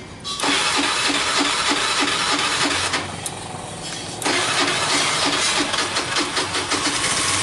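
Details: Honda Beat FI injection scooter, after a manual ECU reset using jumper wires (7 light blinks) for a bog on initial throttle: starter whirr, then a quick, even idle with a light ticking pulse and no stumble.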